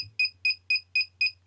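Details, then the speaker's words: Naze32 flight controller buzzer set up in Cleanflight: shrill high beeps, about four a second, repeating steadily; the lost model alarm. "And that beeping is the lost model alarm. So, if you have a light on there, obviously the light will be pulsing in time to that noise."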